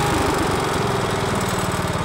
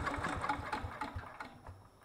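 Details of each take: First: Miller Bluestar welder engine, sat 5 years, running after gummed carburetor including low idle jet cleaned; steady, even chugging with no misses or knocks; normal running. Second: Miller Bluestar welder, sitting 5 years: a few quick firing pulses on fuel poured in, fading within two seconds; the carburetor isn't picking up fuel, so it needs removing and cleaning.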